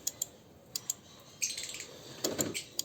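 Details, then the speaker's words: Car air-conditioning circuit test at the fuse/relay box: the relay coil is energized and released via a jumper wire, giving a few sharp separate clicks with birds in the background; the relay is switching normally. "Aquí estaríamos activando y desactivando lo que es la bobina que corresponde a ¿qué? Al relay."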